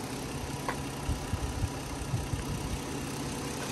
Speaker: so quiet runs great Interstate Battery cranks right up battery tested good in the inspection